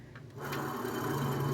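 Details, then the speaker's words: Lincoln Navigator, brake job, rotor removed: dry, gritty rasp as the hub is spun by hand. It spins loosely and loudly, a rough worn wheel bearing. "a bad wheel bearing this thing is pretty loud and you can see how it just spins freely"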